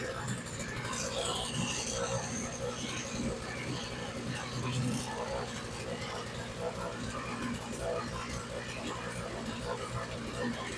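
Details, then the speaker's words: Vintage Montgomery Ward 2-cylinder single-stage snow blower after the primer bulb line to the carburetor was replaced, choke left where it was. Small engine putters with a rough, even, rapid beat and steady level, no stalling. It is running okay, though the carburetor probably should be replaced. "let's leave it where it was as far as the choke and see what it does seems like it is running okay"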